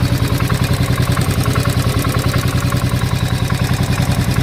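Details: 2016 Royal Enfield Bullet single-cylinder at idle: a thump with a sharp regular knock on every beat, about three per second; cause unknown. Engine knock.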